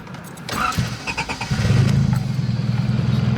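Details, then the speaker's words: Honda Accord with 258,000 miles: catches quickly after brief crank, settles into low smooth steady idle with no stumbling; healthy engine. "And she just sits there and she just idles like a dream. Just do me a favor and ignore that. Okay. She is just burning away running like a sewing machine. Just sounds like it's happy to be alive, you know."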